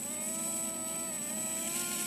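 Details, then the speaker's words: Blade mCPx helicopter on DX7 radio, throttle hold off and a little throttle: steady high electric whine holding pitch with faint servo chatter as the flybarless system reacts; motor spooling smoothly, healthy. "So turn the throttle hold off, and give it maybe a little bit of throttle."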